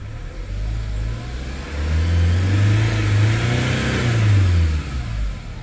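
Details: Hyundai Starex diesel that would not start, after scanner diagnosis: revs up cleanly twice and settles back smoothly, quick throttle response, no knocks or misses; running healthy.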